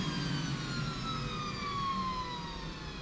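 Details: 1977 Hoover 427 cylinder vacuum cleaner, 600 W motor, during suction test with hose sealed to a gauge, reading about 58 to 60; even high motor whine holding steady, no rattles or grinding; healthy under full load.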